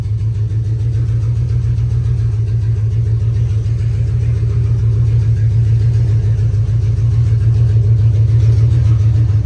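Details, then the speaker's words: Cheap box truck V8 that sat five years, catalytic converter stolen, no mufflers, cracked exhaust manifold: loud, deep, open rumble with steady chuffing pulses while warming up and driving off; exhaust leak from cracked manifold and no mufflers. "She's very loud. We're cruising around on the back roads. We don't want to get a ticket, but I'll film a little more in a minute. But she's driving. Listen to that baby. Nothing like some training V8 with no mufflers and no caps, baby. And a cracked manifold."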